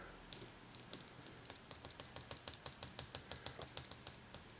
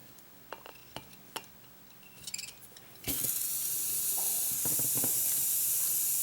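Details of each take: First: 1994 Saab 9000 fuel injector bench test during rebuild: crisp, even ticks about three a second as the injector opens and closes normally after a tap freed it, likely varnished. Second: 1994 Saab 9000 fuel injector on a bench test kit after cleaning and new seals: a few clicks, then a steady spray hiss that never cuts off. The injector is stuck open and will be soaked in carb dip.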